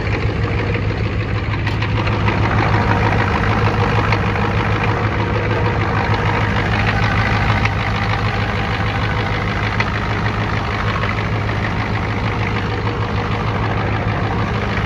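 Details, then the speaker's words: 1992 Ford F-250 IDI diesel idling shortly after ether start, good oil pressure: heavy uneven clatter, lumpy beat about twice a second, slowly smoothing somewhat; rough idle, owner suspects injectors. "Well, it's been idling for a second, got good oil pressure. Looks like the idle's smoothing it out, kinda."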